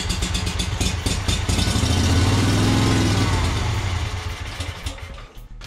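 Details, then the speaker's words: Yazoo Kees zero-turn mower with Kawasaki engine and new carburetor, spray into intake: engine picks up and revs for a couple of seconds then sags and dies, fuel starvation; owner unsure whether carburetor or fuel supply, considering replacing fuel lines. "not getting enough fuel so am I dealing with a carburetor issue or am I dealing with an issue coming to the carburetor with fuel that's what I'm not sure about"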